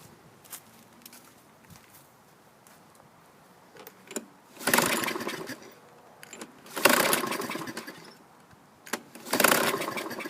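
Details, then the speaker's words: 2000 Toro Recycler 22" mower with 6.75 hp Kohler engine, used recoil fitted, fuel added to carb and starting fluid sprayed: three short pull-start cranks that never catch; owner suspects flooding, carb to be cleaned. "it may have flooded itself out so this one's going to need a little more attention i was hoping to at least hear it fire off no go"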